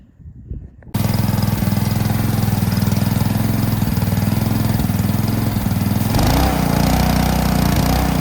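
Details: Ryobi 3300 PSI pressure washer with Honda GCV190 engine, after draining old gas and backing off the pressure adjuster spring; holds a steady, even drone under load with no hunting or stalling, running smooth and healthy.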